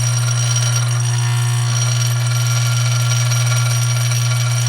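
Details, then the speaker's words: Dillon RF 100 auto primer feeder running without lid on bench: deep steady mains-frequency buzz with faint rattle of primers, even and unchanging; feeder speed set slightly too slow. "So this looks like it's a little bit too slow, so I'm going to turn the rheostat. You actually turn it counterclockwise to speed it up."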